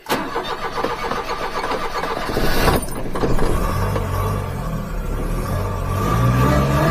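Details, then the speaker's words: Mini truck with belt-driven blower on a lawnmower belt, new 6-inch crank pulley, test drive: engine catches and pulls away with a thin whine rising with revs at about 9 psi boost, bypass spring thought 10 psi; normal supercharger whine. "Hear the blower whine a little better. Yeah, that's better. About 9 pounds."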